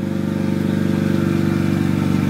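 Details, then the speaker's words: Nissan Silvia S13 SR20DET, first startup after engine reinstall, water temperature 15°C: loud, lumpy exhaust drone with an even firing pulse at a steady cold idle, no knocks or misfires; runs healthy, alternator squeaky. "but it sounds mint so my engine's at water temps 15° so can't rev it at yet"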